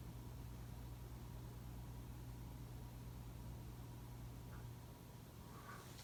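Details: 2004 Casablanca 19th Century 54-inch ceiling fan, XLP-2000 motor, Inteli-Touch control using resistors for speed and capacitor for start windings: steady low electrical hum under faint hiss as speeds change; motor hum attributed to resistor speed control.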